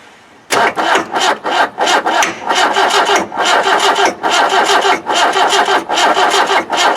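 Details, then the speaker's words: 1991 ex-military Land Rover 90 with a 2.5 naturally aspirated diesel that doesn't run, cold start possibly not working, cranked on starting fluid: even cranking at about three compression pulses a second with no firing at all. "little bit of resistance what not even a bang I"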